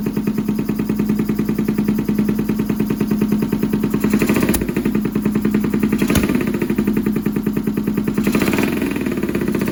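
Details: Honda CX500 with Mikuni carbs: fast, loud exhaust pulses with an uneven, stumbling beat instead of an even twin rhythm; right cylinder misfiring, cause suspected, not confirmed.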